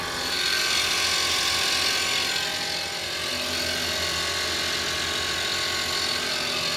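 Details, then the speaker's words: Auction car: fast, uneven ratcheting pumping, about four clicks a second with a thin hiss, from an air pump at the back; a faulty air pump, possibly air suspension, is suspected, engine otherwise sounds good. "I think that's a an air pump that's trying to pump maybe this is an air suspension but the engine sounds good I think the air pump has some issues right back there"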